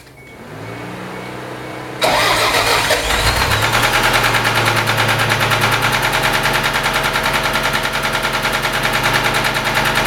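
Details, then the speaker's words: Toyota 3S-GTE (Alltrac) four-cylinder cranks, starts and idles with a steady knock about three times a second; owner suspects rod knock. "pretty sure that is what we call rod knock"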